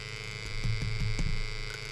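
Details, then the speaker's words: First-generation Option-O P64 coffee grinder, after power switch replacement and sealed bearing upgrade: a low steady motor hum with a faint uneven rattle once it spins up. Owner suspects the bearings, which had little side-to-side room. Motor rattle. "some kind of rattling noise okay i'm a little weirded out by that rattling noise"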